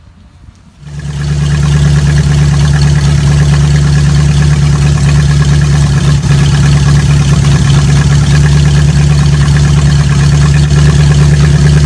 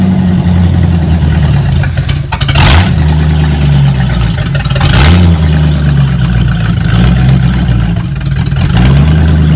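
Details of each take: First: Old carbureted Oldsmobile after converting to vacuum-advance distributor, new plug wires, initial timing 20 degrees advance: catches and settles to smooth steady idle, even low rumble, no stumble; normal idle. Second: V8 with swapped-in Street Avenger carburetor cleaned with mineral spirits: loud deep idle hunting and surging every few seconds; rough idle, owner suspects float bowls still filling and solvent clearing, thinks driving will clear it.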